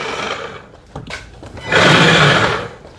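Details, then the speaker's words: Bravo Grave Digger ride-on monster truck after replacing a burnt-out motor with an upgraded 895-size 24V 20,000 RPM motor: brief high-pitched electric whir as the wheel spins forward, then reverse; the motor spins up cleanly, normal running. "That wheel's spinning forward. forward. Reverse. Yep, we're good."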